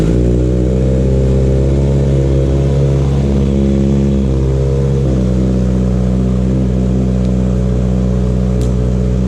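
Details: Kawasaki Z900 just fitted with an aftermarket CS Escapamentos exhaust: loud, deep, even note rising and falling cleanly with throttle, no rattles or misses; normal running.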